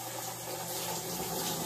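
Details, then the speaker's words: Maytag Bravos XL top-load washer (complaint: not spinning) in diagnostic mode, cold water valve test: steady hiss of water rushing in with even flow, no buzz or chatter; the cold inlet valve is opening and filling fine. "This is going to be testing your water valve, your cold side. So that's working just fine."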